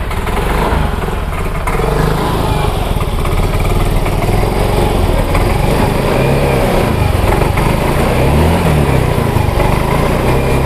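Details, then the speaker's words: Yamaha Mio J/M3 scooter with good fuel pump pressure, good spark plug and cap, no MIL codes, nozzle already cleaned: idle sags and surges with stumbling misfires; faulty fuel injector, fixed by replacing it. "Nah itu ya teman-teman jadi motor dalam kondisi brebet dan tidak langsam"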